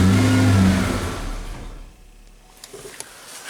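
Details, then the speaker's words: 1988 Ford Ranger at cold start after intake cleaning, timing slightly off: engine revs up then sags and nearly stalls, dying repeatedly, a faltering idle that cleaning didn't fix. "Okay, folks, let's fire it up and see what it does. Oh, died there. Okay. Oh, there we go. Oh, it's gonna die again."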